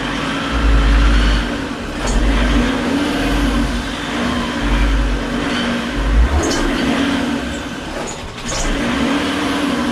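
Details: Fiat Marea 130HLX, long stored in a workshop, first start after revival: with the code light off it starts but first cuts out, and needs throttle. Now revs climb and drop every couple of seconds, hunting and never settling. Owner suspects something left off; unconfirmed.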